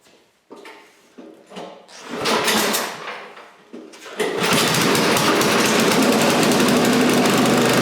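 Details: Scrap snowblower's small single-cylinder engine after a new carburetor fit reusing the old throttle shaft and butterfly: a few rough pulls and sputters, then it catches and runs steady and even with no misses; normal running.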